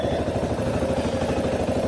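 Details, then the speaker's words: CSC RX3 single-cylinder motorcycle idling after first valve adjustment, reassembled: even thump with a tiny faint valve tapping on top, considered normal ("tappy valves are happy valves"); sounds nice, healthy idle. "i don't know if you guys can hear it like i hear it but the the valves they're a tiny just a tiny bit of tapping and um reading the csc website you know they said tappy valves or happy valves so i'm not concerned with that"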